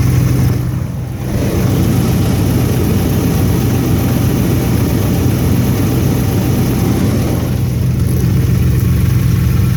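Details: 5.7 Hemi Ram truck, cold start at 20°F after sitting four days: deep even idle with a faint rapid tap about four a second; owner believes benign piston slap, not confirmed.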